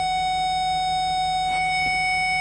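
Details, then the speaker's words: Nissan Titan reverse parking sensor, after backup sensor module diagnosis and a restart: a steady high-pitched warning tone sounding continuously, with the system working again as it should. "everything's working so if we move further away there we go"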